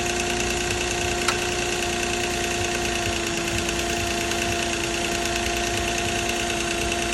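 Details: 2006 Nissan Maxima at idle: busy idle with a light, uneven metallic rattle over a steady engine whirr; timing chain rattle suspected.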